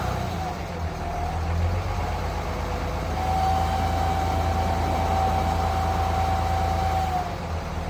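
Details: Third-generation Ram Cummins diesel at idle, heard through a stethoscope: a steady, even howl over the rumbling idle. The owner first suspected the turbo or fan clutch, but it turned out to be a bad alternator bearing.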